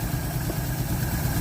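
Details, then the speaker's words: 1948 Chevy inline six, off the road since 1968, with a replacement carburetor after the old one dumped fuel: low, steady, even idle with no misses or stumbles, running without choke. Normal idle. "it picked up it's idling even better oh yeah just thing yeah well no choke this thing's firing up running no"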